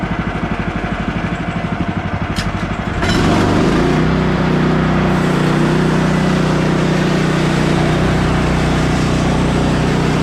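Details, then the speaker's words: Bandsaw mill cutting 3/4 x 6 inch boards after the Pine-Sol blade lubricant was reduced; too much had probably made the blade jump off the bandwheel. Engine chugs evenly about three beats a second, then a steady hum under load; blade cuts cleanly, normal. "as you guys saw the blade didn't jump off again i think the first time around with that new pine salt mixture i probably was going a little heavy on the pine saw"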